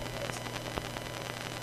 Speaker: Ah yes, you can hear the noisy output. That's because that thing uses an analog SoundMax audio solution, or as I like to call it, an analog SoundBuck audio solution.